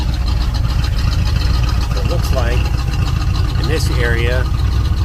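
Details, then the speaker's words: 1972 GMC/Chevrolet Suburban Highlander, numbers-matching 350 V8 and 350 automatic, revived after 8 years parked, new fuel tank, water pump, thermostat, battery: deep even idle rumble, no misses or knocks, birds in background; healthy. "she'll sit here and idle all day long you let it"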